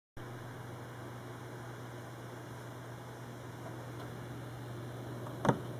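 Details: New Corsair H50 liquid cooler on a Phenom II X4 955 makes a steady, low, constant buzzing hum that started after a while running, possibly recorded with the mic next to the cooling block. The pump is suspected defective and the owner is considering an RMA.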